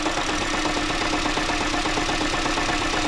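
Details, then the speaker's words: 2015 Honda Jade hybrid at idle with an injector cut: a fast, uneven metallic rattle rises from the gearbox side, diagnosed as a transmission damper disc. "выключаю по форсунке и вот начинается вот этот звук звук идёт с той стороны с коробки"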